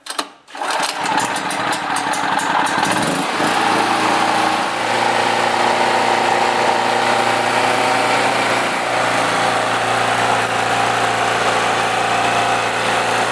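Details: Generator just after carburetor replacement, started on choke with fuel valve open; catches after brief crank and settles into steady even drone, no misses, surging or knocks: normal running.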